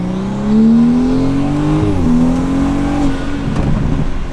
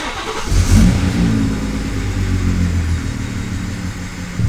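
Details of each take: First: 2017 BMW 340i, first drive after new Pure 800 turbo install, mini pull under load; clean whistle climbing in pitch, resetting on shift; turbo spooling strongly, normal. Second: Car with newly installed Pure 800 turbo and freshly flashed custom tune, first startup, no codes stored: engine catches, flares briefly, then settles into a low, lumpy idle below normal; cause not found.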